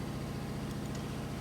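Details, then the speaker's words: 1972 Harley FLH 98ci Shovelhead stroker rebuild, idling after grease applied to clutch basket rollers; steady low idle with even pulse, rollers no longer rattling now they're greased. "now you don't hear them rattling no more cuz they got grease on"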